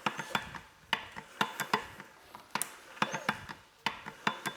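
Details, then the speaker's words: 2011 BMW 535i xDrive F10 N55 engine, freshly reinstalled, with replacement used cam phasers (80,000 miles), turned slowly by hand without oil pressure. Crisp irregular clicks in small clusters. Owner assumes the phasers just need oil pressure. "Well, who would have guessed? It's still clicking. So the odds of this one also being bad are quite low, I would say. So I'm going to assume that they just need oil pressure and then they stop clicking."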